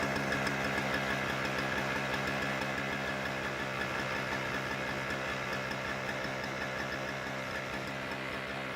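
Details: Toro CCR2000 single-stage snowblower, 2-stroke 4.5 hp Suzuki engine, Mikuni carb, 50:1 mix, after cleaning the carb bowl and main jet; buzzy steady even idle without stumbling or surging; runs properly.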